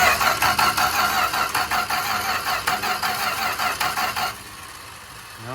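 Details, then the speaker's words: 1965 Plymouth Barracuda slant six parked since 1994, starting fluid sprayed down the carburetor: starter chugs steadily about three turns a second for four seconds, never catching; cranks but no start. "still not firing. I sprayed starting fluid directly down in the carburetor, so if there was ever going to be anything happen, it should be with that."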